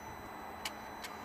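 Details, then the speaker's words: Mercedes ML320 CDI, ignition on, engine off, after repairing the original turbo actuator: three sharp ticks about 0.4 s apart over quiet background as the actuator sweeps through normal self-calibration; fault fixed. "can you hear it adjusting so let's start the engine beautiful there is all fixed"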